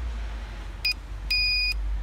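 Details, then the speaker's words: Land Rover Discovery Sport tow bar electrics, testing with a bike rack plugged in: high-pitched beeper bursts at flasher rhythm over background hum as the right-hand indicator flashes; trailer indicator wire live and working. "you hear the beat is going and he needs the right hand flasher is flashing so we can now connect that permanently"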